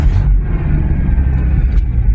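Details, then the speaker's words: Old van woken after long storage, fuel pump primed, cranked a few times: turns over and runs with a deep, steady low rumble, no knocks or ticks. Normal running. "Turns over. Will it run? Well, of course it will."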